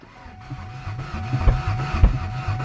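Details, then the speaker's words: Ford Ranger with no coolant, possibly mud-bogged and hydrolocked, cranked at a junkyard: sluggish, uneven starter churning at about two to three beats a second, engine never catches; slow cranking, trying a fully charged battery, cause unconfirmed. "I'm cranking a little bit slow let's let's try a different battery fully charged battery on there let's see if she goes"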